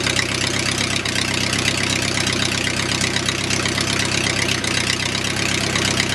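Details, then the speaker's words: O-84 (4A084) air-cooled flat-four with ECU fuel injection, just cold-started at about 75°F: brisk even pulsing with crisp mechanical chatter at 650 rpm, cold and rich until 140°F; normal cold idle. "that's 650 rpm idle and cold you'd never get that to do that 500 rpm right now because the engine is going through it cold and rich"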